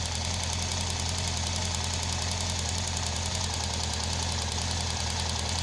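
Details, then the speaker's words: Honda CB750 (CB Seven Fifty) engine running with a fast, light metallic ticking from one hydraulic valve lifter. The clicking started some time after an oil change; the lifter is either dirty or broken. "je commence à entendre le clic dans le moteur, donc le bruit de claquement"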